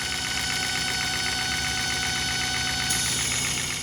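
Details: 2008 Chevy HHR 2.4 Ecotec petrol engine, warm idle: steady high whine/whistle, oil cap and dipstick sucking air; new housing didn't cure it.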